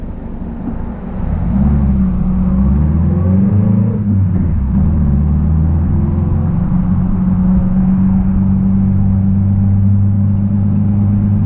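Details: 1966 Triumph Spitfire, rebuilt 1147cc four-cylinder, driving after fuel system stripped and lines flushed: pulls cleanly through the gears, deep steady exhaust note rising and falling evenly, no misses or stumbles; healthy engine under acceleration.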